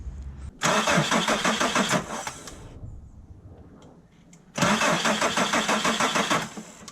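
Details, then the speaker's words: VW T4 Transporter 2.5 TDI AJT/ACV five-cylinder diesel, started after its Stanadyne injectors were replaced with primed Bosch ACV injectors to fix slow starting: catches almost instantly with little cranking, twice, settling into an even clatter; normal starting. "I'd say that's a win started immediately they've been primed"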